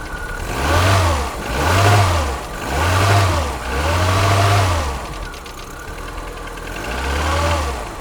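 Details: Polonez Caro with K16 1.4 engine, cold morning start at 0 °C: revs blipped about once a second with a hollow knock under each; piston slap.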